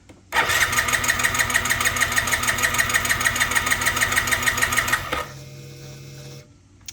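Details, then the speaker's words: 2007 Yamaha C3 (XF50W) 50cc scooter, new fuel tank and pump, fresh fuel and plug, lithium battery: starter churns steadily about five seconds without catching, fuel pump audible; cranks but won't start, cause not found. "Okay, well, no luck yet. I'll keep banging at it."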